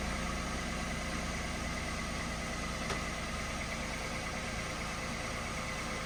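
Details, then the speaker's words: Peugeot 107, running after locksmith ignition barrel work and a jump-pack start: small engine ticking over at smooth, constant idle with no knocks or misfires; normal idle. "so there we go the car is [Applause] running ticking over lovely actually don't hear no problems no issues but we've actually got a running car"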